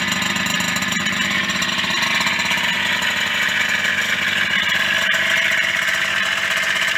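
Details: Yamaha DT50MX two-stroke at idle: busy tinny metallic rattle over the buzz; owner suspects engine bottom end problem, plans to strip it and fit Koyo bearings replacing other-brand bearings; cause not confirmed.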